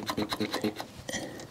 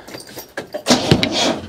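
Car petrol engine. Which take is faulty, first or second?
second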